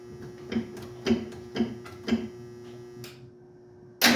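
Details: 1968 Ford Mustang: slow cranking at about two turns a second, then quiet without catching; owner suspects no gas in the lines and is unsure the fuel pump is pumping.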